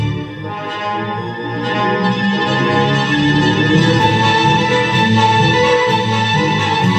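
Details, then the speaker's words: 1961 Grundig powered speaker, valve amplifier, after repair of blown fuses and overheating, run on 240 V though designed for 220 V: orchestral music plays clear and full with no hum, crackle or distortion, so the amplifier works properly. "okay clear as a bell working very very nicely"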